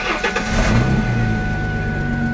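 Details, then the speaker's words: Car with 130,000 miles on the engine cranks and catches, then idles with a loud, raspy rumble from a leaking exhaust joint, worse when driving and accelerating; repaired without a welder. "نہ صرف یہ leak بلند ہے اور یہ بھی لگتا ہے خاص طور پر برا جب آپ ڈرائیونگ کر رہے ہیں"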